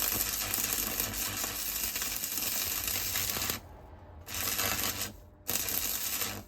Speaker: And then give it too long. You can hear the noise when you blow a hole. Holes, blowing holes.